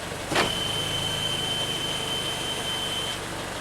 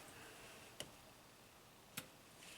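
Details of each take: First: 2015 Toyota Camry 4-cylinder, 125k miles, U760E transmission, P2714 code, rough shifting and shudder, after fluid change: steady high-pitched whine holds about three seconds over the engine as the SL shift solenoid switches on and off while shifting; unclear if normal. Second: 2015 Toyota Camry 4-cylinder, 125k miles, U760E transmission, P2714 code: SLT solenoid bypass test with test light to battery negative gives three crisp distinct clicks; solenoid actuating normally.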